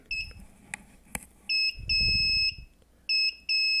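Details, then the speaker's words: New MQ-5 propane gas sensor module wired to an Arduino Nano, first power-up: steady high-pitched beeps in uneven bursts during sensor burn-in, lasting about two minutes before the alarm and light shut off. "the sound it's gonna run when you put a brand new module on it it'll run like this for about two minutes maybe and then once it's burnt in it'll shut off the light and everything will go back to how it should the normal court will start running"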